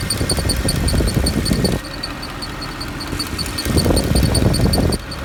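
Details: Mercedes E63 at a lumpy idle with a rhythmic whir and rapid high ticking cutting in and out; abnormal noise that appears to come from one of the fans.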